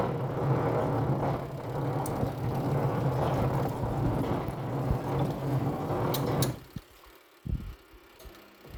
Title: Twin tub washing machine with a rumbling sound when washing